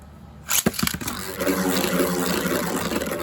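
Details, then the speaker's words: Beyblade heaviest combo with Rubber Flat tip stalling around the tornado ridge: after launch snap, an uneven, rough scraping rattle instead of a smooth hum, showing poor balance: unbalanced spinning top. "So that didn't sound too good. You actually want it to sound very, very smooth. The smoothest you can get the sound to sound, the more balanced your Beyblade is."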